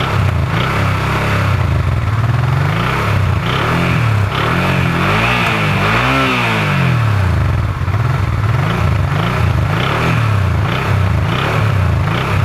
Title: Honda RD10 Transalp strange engine sound